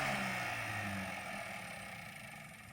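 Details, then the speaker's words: 1984 Chevy C10 truck engine after spraying PB Blaster where an earlier noise came from: even, steady run with no knock or tick, easing down; noise gone, owner says it just needed lube after 35-40 years. "No, it it quit doing that. I'm not a Anyway, y'all know y'all heard it that one time, but I was hearing it all the time."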